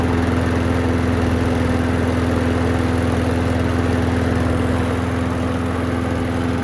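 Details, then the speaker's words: Craftsman mower that would not start after hitting something, fresh gas added: steady, even single-cylinder drone at constant pitch, no misses or knocks; runs normally. "Runs good. Just need to tighten up some of the hardware on the handle, but other than that, give it a bath and send it on its way."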